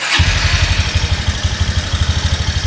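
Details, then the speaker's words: Honda Mega Pro (GL series) motorcycle, cold start: fast rough idle with loud harsh clatter pulsing about ten times a second; very noisy engine. "oke teman-teman kali ini ada Megapro ya ini Megapro di bagian mesin ini sangat berisik sekali mesinnya"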